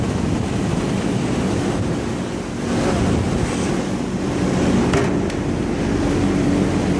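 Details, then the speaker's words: Marley cooling tower, the good one of two (the other noisy, gearbox suspected), heard inside the tower: steady rush of falling water over a low even fan drone, no knocking or grinding; normal running. "So this tower, this one is good. It's a Marley."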